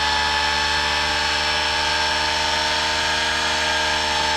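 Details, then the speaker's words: Bedini 4-coil monopole SSG motor running: a loud, steady, even whine with a buzzy rattle and no change in speed. The owner thinks the bearings need oil. "so just wanted to show you this it's pretty it's a bit noisy I need to put some um oil or something on the uh the bearings of this thing"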